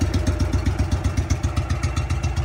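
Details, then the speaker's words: Trav-L-Vac 300 gas-powered utility box vacuum at idle after new filters were installed, sound taken at the blower air outlet: quick even popping about ten beats a second with no misses, a healthy idle. "pretty good though. And this is the air outgoing. Idle right now, so that's air outgoing out of the blower."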